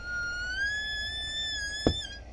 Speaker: Whoop, hear that? That means I got a leak somewhere.